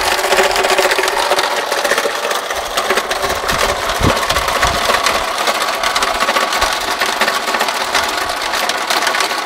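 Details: Engine noise that began yesterday after a trip and sounded much more alarming at this morning's start in the garage: busy, rattly idle with fast, uneven ticking running through it; source unclear, needs closer checking.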